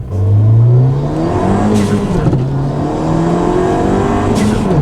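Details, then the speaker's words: Ford Fiesta ST on E85, after a new part and thermostat were installed. Revving gives a thin, tinny, raspy edge over the exhaust note; owner suspects the motor mount is not doing well, cause not confirmed. "It sounds it sounds tinny. Like tinny, like a tinny, like raspy exhaust. It almost sounds like raspy."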